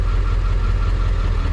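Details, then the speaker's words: Diesel "Red" with a suspected clutch leak: steady low diesel idle with no clicking or rattle; the earlier clutch clicking is mostly gone, though engagement feels about the same and second gear is reluctant. "there's no clicking I don't get that oh I don't really get that clicking anymore but"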